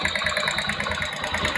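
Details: Motorcycle engine at idle with a fast, light, regular ticking of about eight clicks a second over the exhaust; a top-end tick of unknown cause; engine ticking.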